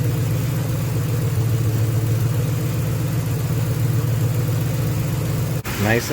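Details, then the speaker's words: 2010 Crown Vic, Ford 4.6L 2-valve, manual 5-speed swap, junkyard M90 supercharger, after a new timing tensioner assembly and idler pulley: smooth, quiet idle with a blip and no noise; the tensioner may get two more spacer washers. "quiet no more noise we might want to space out our tensioner just another two maybe another two fender washers"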